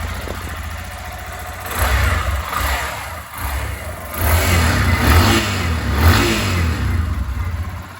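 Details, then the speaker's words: Lander 250 single-cylinder, about 29,660 km, after full engine rebuild for connecting-rod knock (marked crank pin, heavy carbon), new rod and pin fitted: steady idle, clean revs, good oil pressure, no knocking; normal idle and revving. "certo 100% e tá aí a toa tá na pressão nela ficou muito boa 100% só acelerar tá"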